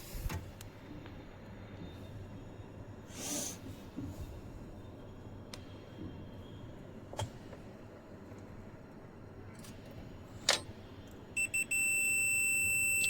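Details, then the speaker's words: Pioneer VSX-434 amplifier, dead: multimeter continuity test on removed diode D429 gives a steady unbroken high beep after a few handling clicks; diode shorted, replaced with a new one. "जैसा कि आप देख सकते हैं, हमने दोनों diode को open किया है और इसमें से एक डायोड जो है D429 ये शॉर्ट है, हमने निकाल रखा है। यहाँ पर दिक्कत है इस डायोड के अंदर।"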